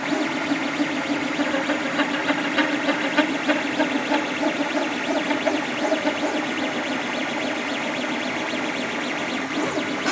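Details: Creatr HS 3D printer while printing, print bed not level: strange noises, buzzy tuneful motor tones with quick irregular ticking about three times a second.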